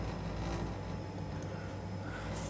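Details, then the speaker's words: Baxi combi boiler with a broken burner, running for heating: heavy steady low rumble with coarse droning vibration under the boiler noise; burner rattling and vibrating. "and then the Basel on down now listen to this racket see listen fruits vibratin"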